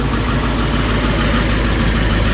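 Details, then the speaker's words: Ford 7.3 Powerstroke diesel just after KC300X turbo and oil cooler install, exhaust not yet finished: loud, raw, even idle rumble with harsh bark from the open down pipe; turbo oil burning off, no leaks seen. "But uh and I need to finish the exhaust, which I'll do tomorrow."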